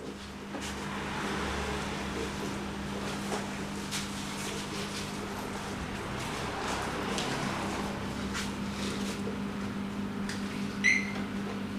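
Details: Harley-Davidson Iron 883 after an oil change and Sejati Booster setting, around the owner's test ride; owner says the earlier popping when letting off the throttle is gone and vibration is reduced: quiet, even idle with a steady low drone, no popping or misfire.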